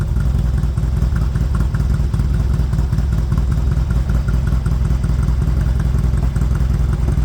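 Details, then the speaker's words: Spanky's motorcycle after years sitting, warmed up after first run following rear wheel and sprocket work: fast, even low-pitched idle holding steady with no misses or clatter, sounds a lot better: normal idle. "Sounds like she's warmed up. Let me grab you a tool. Yeah, that sounds a lot better. Put some miles on that baby."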